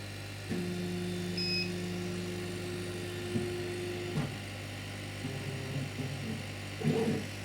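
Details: Chinese laser cutter after fire damage, new drive belt fitted, first power-on: steady stepper whine about four seconds then short moves and clicks as the head homes to zero, smooth with no slipping or chatter; no further damage found.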